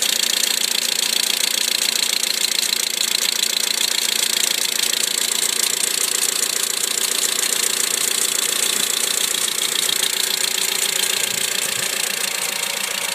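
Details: 2008 Mitsubishi Lancer, passenger side, after extreme cold (-35°C), recorded at -5°C: a sharp, rapid, diesel-like ticking at idle, about three or four per second, that is fine at 3°C. Source unknown.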